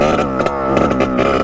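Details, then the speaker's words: 1989 Yamaha YSR 50 two-stroke, long stored, carb cleaned, bump-started: high buzzy note at full throttle keeps stuttering and dropping out; breaks up at the top end, cause unknown. "be hearing a break up in the top and when you give it full Rev and just listen for it it's it's a very weird sound that happens"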